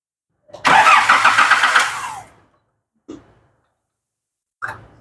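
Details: Nissan Navara D40 YD25 diesel with turbo fitted, MAF sensor disconnected: quick crank, catches at once, runs evenly briefly with no whistle, rattle or knock from the turbo, then shuts off; healthy start.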